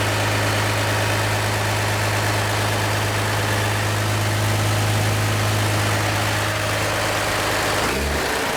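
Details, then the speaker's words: Cummins-swapped Chevy K30 squarebody, warm from just running, in neutral: even, low diesel clatter settling into a steady idle with no misses or knocks; healthy idle. "so the motor was just running it was warm that's why I stirred right up no problem"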